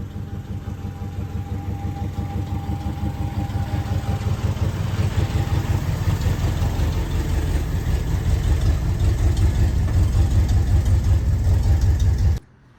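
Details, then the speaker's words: 1973 Ford F100 V8 at idle after new spark plugs and a timing adjustment; owner believes it needs plug wires. Low idle with an uneven, lumpy beat and occasional stumbles around a couple of pulses per second; misfire, cause not confirmed. "So, we pulled it in the shop now. It kind of runs. It needs some plug wires to help it out, but I got some new"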